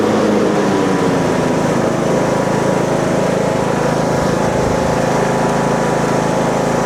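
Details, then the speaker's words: Husqvarna 42-inch riding mower deck after replacing a broken pulley and a loosely installed one, blades engaged: a steady, loud drone with no squeal or knocking. The shaking is normal; it is no longer loose. "Okay, as you see, it's shaking, but it's normal. It's supposed to be like that. At least now it works good and it's not loose."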